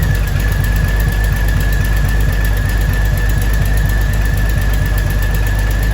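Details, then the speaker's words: 2000 Jeep Cherokee Sport XJ first start after a new head gasket, thermostat and housing, and valve cover and manifold gaskets (old gasket failed, overheating): steady idle with an uneven low thump and a faint constant whistle; rough running. "but it's running a little bit rough still so we gotta figure that out"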